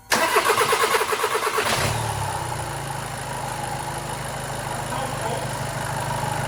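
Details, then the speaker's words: Seat Leon 1.6 TDI diesel after timing belt replacement, belt had come off: cranks nearly two seconds before firing, then lumpy shaking idle; one injector overfuelling its cylinder. "and unfortunately as you can tell it's not running as it should be running first of all it's trunking too long till it's gonna fire up once it's gonna fire up it's gonna shake a lot"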